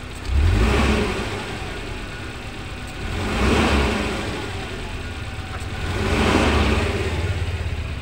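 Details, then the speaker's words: Suzuki Carry Futura pickup, sound at tailpipe, throttle blips: engine revs unevenly and stumbles, whole cabin vibrating, lacks power; one cylinder not firing, spark plug suspected. "ya suaranya seperti itu kita coba gas dulu pada saat kita gas dia getar ya"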